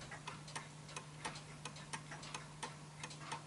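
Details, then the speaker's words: Vintage Bentima/Perivale Art Deco 8-day mantel clock being put in beat by nudging the L-shaped crutch left and right: quiet ticking about 87 a minute with unevenly spaced tick and tock; slightly out of beat before final adjustment. "so I can tell that's just a little bit off no and as you can hear I feel it's just a little bit off"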